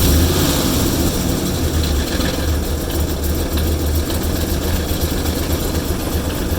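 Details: Engine idling rough, with a low, uneven lope of about four beats a second and no steady rhythm, heard while oil pressure is read; rough idle.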